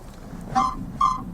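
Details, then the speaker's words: Parked VAZ 2115 with the engine off, rocked by hand: two short, high squeaky creaks from the rear; seat-back contacts already greased and boots only helped for a month; owner suspects the strut area, not confirmed. "Короче всё скрипит вот смотрите ставлю камеру на полку и качаю машину машина то есть Ну заглушённом вот как бы слышали скрип вот сидушку"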